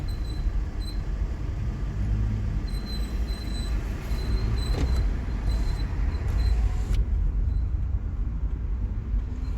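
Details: 2007 Toyota Prius at about 5 mph, brakes not applied: thin high squeal chirps on and off from the front wheels, possibly left side, and is intermittent; garage suggested brakes and pads, owner doubts it's brakes.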